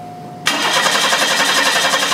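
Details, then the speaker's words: 1991 Chevy Cavalier 3.1 L, good spark, noid light installed: steady, even cranking with no firing or catch; noid light never flashes, so no injector pulse, caused by a shorted group-fired injector. "all right as you can see that noid light did not flash so with a car that has good spark which this one has uh and a noid light that doesn't flash means that you have no injector pulse"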